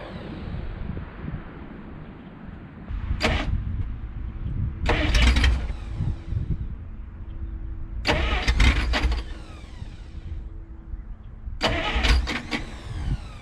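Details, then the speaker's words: 1951 Studebaker Champion, start attempts: several cranking bursts catch only briefly, ran about 15 seconds then died; hard starting and stalling. "oh you it just ran for like 15 seconds oh damn it"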